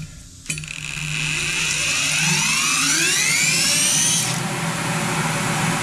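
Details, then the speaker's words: Molder planer blower motor on its stand, the good one compared with a motor with a bad bearing: spins up with a smooth rising whine and settles to a quiet, even hum, normal run. "this one sounds good I can talk right over top of it not a bit of a problem"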